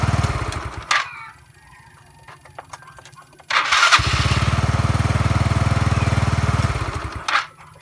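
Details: Mio Sporty scooter, hard start: several short cranking bursts, then the engine catches for about three seconds with a rapid putter and dies.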